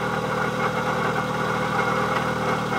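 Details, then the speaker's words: 1997 Eclipse GSX, stock T25 turbo at 12 psi, engine reportedly rebuilt, AC belt removed: a constant grinding bearing-type noise from the timing/accessory belt side at idle that rises with revs. Water pump bearing replaced, though the alternator bearing was also named as the fix. "to me it kind of sounds like some type of bearing that's making that sound for the the grinding that like grinding noise that just constantly kind of sits there it goes up with revs also so it's definitely in the belt area"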